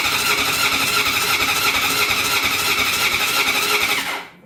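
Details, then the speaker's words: Honda CB750 cafe racer after full engine rebuild, starter newly wired through Motogadget M-Unit, carbs leaking fuel, no spark found: starter whirs about three pulses a second for four seconds with no fire or catch; cranks but no start. "And didn't sound like a spark either, did it?"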